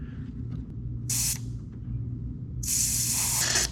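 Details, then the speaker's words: 1980 Chevy squarebody 4x4 with newly installed fuel system, no leaks found: pressing the fuel rail Schrader valve gives two sharp hissing bursts, a short then a longer one, as trapped air bleeds out of the fuel rail. "There we go. A little air in the system, huh?"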